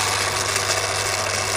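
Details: Daiwa DR-7500 antenna rotator (Kenpro KR-400 equivalent), internals refurbished and upgraded, bench run: steady high-pitched motor whir over a low hum, even and unbroken as it drives round; normal rotator operation.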